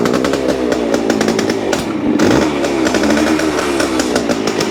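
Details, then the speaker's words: 1973 Yamaha CT-3 175 Enduro two-stroke revving with coarse mechanical clatter, rough idle that misses occasionally; crank shows up-and-down play; worn crankshaft main bearings, before replacement. "see one of the things that tells me that we have a problem is that when you try to let it idle it won't see the the roughness it is like it misses one once in a while"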